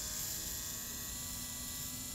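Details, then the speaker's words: Mercedes CL65 AMG V12 with a fuel system reworked using Bugatti Veyron parts and a secondary fuel pump, primed with no leaks. There is a steady high-pitched electric whir with no surging; normal fuel pump operation. "I just want to hear that secondary fuel pump kick on"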